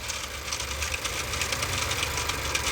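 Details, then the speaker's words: Honda engine idling with turbo: fast tinny rattling ticks, loose metallic chatter over the idle; turbo wheel stops instead of spooling and whole turbo wobbles back and forth; turbocharger shaft play, turbo shot. "The whole turbo is like wobbling back and forth. So, yeah. Turbo was shot."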